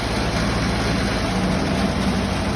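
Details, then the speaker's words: Ferguson TED-20 tractor after new carburetor and tightened loose fan belt that had squealed; dense, steady low rumble with even firing and no misses or knocks while holding high idle; normal high idle. "You can hit it with the key, and go low idle, and you crank it up, go high idle,"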